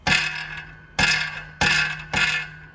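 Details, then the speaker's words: 5th-gen Camaro V8 after broken-piston repair, DOD/AFM delete and cam install, exhaust removed: sharp metallic clattering bursts with each shake of the header; a spark plug was found stuck between the header tubes. "we thought something was stuck inside the header because it rattles check it out"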